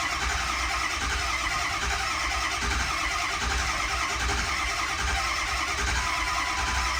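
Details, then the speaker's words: Ford 6.0 Powerstroke diesel truck: starter cranks steadily, about seventy-odd pulses a minute, no firing, long crank without start; owner suspects glow plugs not working, starting fluid sprayed on the filter got it going before. "pretty sure at this point the glow plugs are not doing anything"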